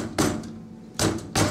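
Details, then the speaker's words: UFP DB-42 trailer disc brake hub, wheel rocked by hand: three sharp metallic clunks as the brake caliper shifts loose in its mount. "I don't know if you can hear that but uh and also if you hear that you know what that is the caliper is moving"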